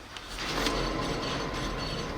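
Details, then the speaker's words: 2005 Toyota Scion tC with 169,000 miles: hand-spun passenger front wheel gives a rough, gritty hum with faint ratcheting over brake pad scrape, a worn wheel bearing causing loud cabin noise when driving; bearing to be replaced. "you hear how bad it is and that is causing a lot of noise in the cabin when I Drive it"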